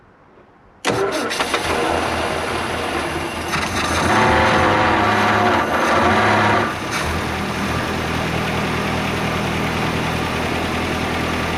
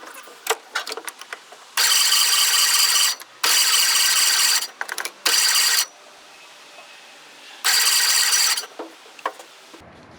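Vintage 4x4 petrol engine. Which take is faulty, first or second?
second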